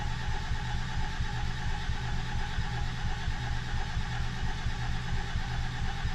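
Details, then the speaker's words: 1987 Mercedes 300SDL OM603 3.0 turbo diesel, sat five years, fitted with 350SDL head; long even cranking, low churn, no firing. Owners think no fuel, may test line pressure. Cranks but won't start. "that sounds like no fuel yeah so it's either I wish I had a line pressure tester well that might be the next next thing on the docket"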